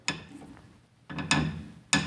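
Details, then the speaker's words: 1928 Grotrian Steinweg 120 upright piano, restrung but with the original wrest plank: three sharp, dry clicks in about two seconds as each pin sticks and jumps under the tuning lever; jumping tuning pins. "can you hear when I'm pulling it up it just clicks and it's very difficult to tune to get into place because it jumps when you're trying to tune it"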